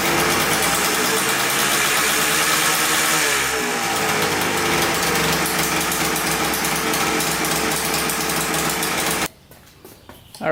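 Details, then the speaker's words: 1989 Yamaha Blaster 200cc two-stroke quad, first start after engine rebuild, oil pump just primed: raspy steady run, then revs creep up on their own without throttle; high idle, owner suspects an air leak, carb cleaner spray around carburetor and flywheel showed nothing. "it runs good but then it revs up i have nowhere like it's not getting gas but it sounds like an air leak to me"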